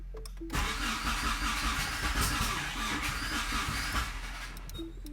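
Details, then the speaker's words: 4G63 DSM-swapped AWD Mini Cooper, first start attempt, untuned: starter cranks steadily at about 2.5 turns per second for four seconds with no catch, in flood-clear mode with no fuel sprayed; cranking, engine not firing. "alright we're getting some sputters so we're doing flood clear right now and flood clear essentially means it's not a it's not spraying any fuel"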